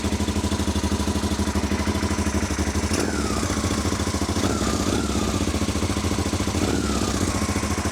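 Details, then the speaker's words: Honda Africa Twin after rebuild, with the rear cylinder temporarily reconnected: a lumpy but steady idle with no missed pulses, both cylinders firing. This was temporary. "And that is definitely both cylinders. Oh, I am very pleased."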